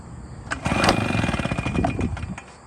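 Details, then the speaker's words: Engine intake fed through a baby bottle of cigarettes instead of the air filter: uneven, sputtering firing catches briefly then fades, nearly starting but choking, starved of air; struggling start from restricted intake. "So, you can hear it slowed it down a substantial amount."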